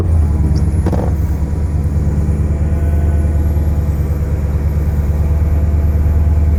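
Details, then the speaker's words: 2006 Porsche Cayenne S (955) 4.5L V8 just after replacing the EVAP purge valve for P0441 and pulsing idle; steady deep raised warm-up idle, no surging or pulsing, waiting for idle to drop. "We're gonna wait for the idle to drop down. I wanna see if I can actually hear a difference."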